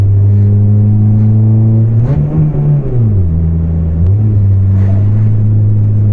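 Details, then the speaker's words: Volvo 440 accelerating from traffic lights, exhaust just broken apart: loud, deep blatting roar swelling up through the revs and settling back; exhaust leak. "ndpa Volvo but the exhaust just broken literally came apart and I hope it's going to stick because I'm on my way to the garage broke just a few minutes ago but now when I accelerate it has a really epic beefy sound that I wouldn't want it to have all day"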